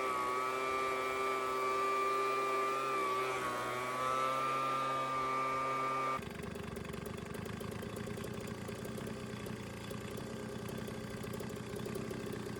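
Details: Small two-stroke engine reassembled after carburetor jet work: steady high-pitched buzz that dips briefly with throttle and recovers cleanly. It runs smoothly and evenly.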